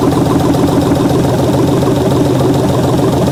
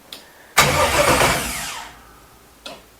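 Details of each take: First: 1967 Chevelle with an LS swap, first start on a rigged fuel supply with electric injectors: steady, even V8 idle with a smooth low throb and no knocks or misses. It runs fine. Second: 1967 Chevelle with an LS swap on its first start attempt, with a weak battery and no fuel or fuel system yet: the starter spins the engine for about 1.5 s with no firing, then winds down. Cranks but will not start without fuel.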